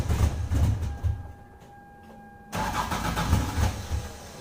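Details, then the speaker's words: 1996 Lexus SC300 manual, 2JZ-GE: prior cold start with coolant temperature sensor disconnected under the intake manifold, repeated uneven chugging cranks, a pause, more cranking, never settling to clean idle; hard cold start fixed by reconnecting sensor. "let me go ahead and now and clip in how this car used to start and then I'm gonna go ahead and start this for you so you guys can see the big difference"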